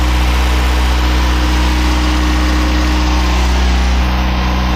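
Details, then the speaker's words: Turbocharged Mazda Miata just after the engine was reinstalled, with good oil pressure: deep, steady idle with an even low rumble and no knocks or misses, sounding healthy; VVT problems remain. "It's running, sounds good. Sounds good. Purring like a kitten."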